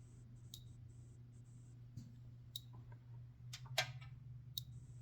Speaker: and I hear it clicking I don't see a spark back here and do off let's do channel two yep there's a spark okay so that that confirms it